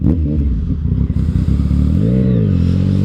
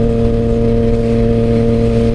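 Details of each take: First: Motorcycle after readjusting clutch lever, which was over-adjusted with shorty levers and caused slipping: engine pulls up cleanly, pitch climbing steadily under load with no flare; clutch now gripping, normal engagement. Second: Motorcycle while riding with shorty levers fitted: steady high engine drone holding revs under load while the clutch slips, owner believes from the clutch lever cable adjusted too tight, partly pulling the clutch in.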